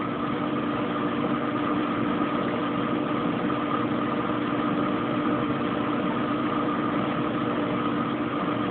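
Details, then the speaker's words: Kenmore Oasis top-load washer after an OL-code repair: at 15 minutes left the pump kicks back on and it enters high-speed spin, a smooth steady whir at constant pitch with no thumps, scraping or grinding. "Sounds like the pump kicked back on. Going into a high-speed spin. 15 minutes."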